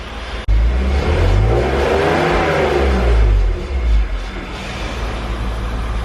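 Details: BMW E46 323ci drift build with welded 3.91 diff from a 318i, traction control switched off (earlier grinding and no revs were traction control intervening): engine climbs smoothly and freely with no hesitation or misfire; normal acceleration.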